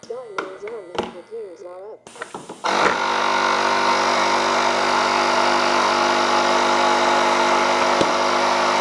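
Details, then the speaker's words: BVM F100 RC jet during a gear check: quiet sequencer clicks and valve puffs, then the onboard compressor drones on as pressure drops after one cycle; an audible air leak across the main gear retract cylinders, possibly a pinched lead. "so I do hear a leak it might be our pinched off lead here all right I can hear a little bit of a leak so I'm going to try and figure out where that's coming from"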